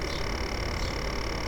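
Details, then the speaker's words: A1398 MacBook Pro, recorder pointed at the fan grilles: loud, constant rattling buzz over a steady fan whir that slows as the laptop shuts off; fan rattle from dust buildup in the cooling fan, not a worn bearing. "you should be able to hear that noise it's pretty obvious it's quite a loud sort of rattling consistent noise"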